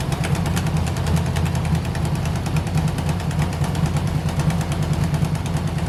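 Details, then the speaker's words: 1971 Chevy Nova pro street small-block V8 at idle after timing was backed off, before repair. Loud uneven rumble with sharp irregular ticking puffs from a blown left-bank header gasket, later sealed with aluminum silicone. "part of why this thing sounds like crap more so than runs like crap is it's got just a blown out header gasket on the left bank"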